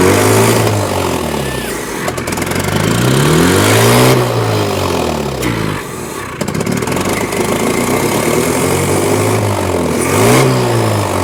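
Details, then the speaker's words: 1983 Toyota 4x4 pickup, 22R 4-cylinder carbureted, revived after 10+ years sitting, running on its own after fuel filter work: revs swell and sag in uneven surges every few seconds, stumbling; carburetor keeps flooding over, owners will remove it. "it keeps trying to flood over it it has little spurts of trying to act up blood over"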